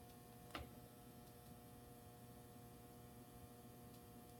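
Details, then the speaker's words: Robbins & Myers ceiling fan at night with its light switched on: a faint steady mains-pitch buzz with one early tick in a quiet room; buzzing suspected to come from the lights, not confirmed. "buzzing noise, I assume is from the lights."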